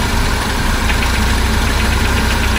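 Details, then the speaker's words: 1976 BMW 2002 E10, cold on high idle, first run in a month or two: a steady fast idle with a rapid light knock over the engine note. The owner expects it to disappear once warm and suspects the oil filter, not confirmed. "I don't know what that knocking is in there, but out as soon as it uh warms up. I think it's an oil filter."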